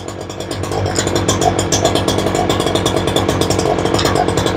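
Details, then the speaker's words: Ryobi 3818 chainsaw that sat all summer, after fuel diaphragm/carburetor work, choked, cover off, fuel pumping correctly. Small two-stroke burbles unevenly at idle, about three stumbling pulses a second. Rough idle; carburetor needs adjustment. "sounds like she needs a little bit of a tuneup he's not really idling right"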